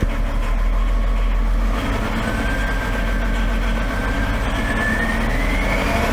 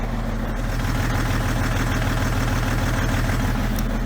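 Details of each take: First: 2011 BMW X5 diesel, M57 engine, over 450,000 km, cylinder 6 outside range on smoothness test: idle with light quick clapping tick over low rumble; normal vacuum pump noise, nothing to worry about. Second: 2011 BMW X5 M57 diesel, over 450,000 km, mic near exhaust just after fuel filter change: slightly uneven idle with occasional soft stumble, a light miss; runs on five cylinders, faulty cylinder 6 injector, smoothing slightly, possibly air after filter change.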